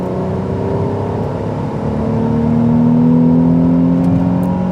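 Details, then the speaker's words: Car with a sealed-for-life automatic gearbox on a national speed limit road: a smooth, even climb to about 4,500 rpm under hard acceleration, with a clean kickdown and no flare or clunk. "It really picks up a gear. Oh, that is very nice. And the gearbox so much smoother. That kicked down really nice and cleanly."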